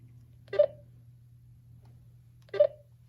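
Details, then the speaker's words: GTMedia V7S satellite receiver signal-meter beeps over a low hum. The beeps come further apart, about two seconds, when tuned to a satellite that is not being received, meaning no signal. "if we go to a satellite that we're not receiving say this one just takes a second notice how the beeps are further apart now"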